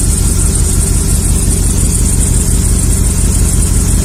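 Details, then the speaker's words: 2003 Chevy Silverado 1500 HD 5.3 V8 idling after about 10 minutes of injector flushing at about 45 psi: uneven, lumpy, loping idle. Cylinder 4 keeps misfiring from a restricted injector that flows less fuel, and cylinder 3 less so. "we're gonna run it it's been running for about 10 minutes and as you can see it's not improving at all cylinder number four continues to count as far so to cylinder number three not quite as bad"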